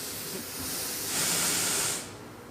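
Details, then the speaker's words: Steam locomotive boiler accumulation test: sharp steam hiss builds quickly into a loud, even roar then drops away as the safety valve lifts right at set pressure, pressure-gauge needle bang on the line, no gagging. "He's on the mark, the needle is bang on the line."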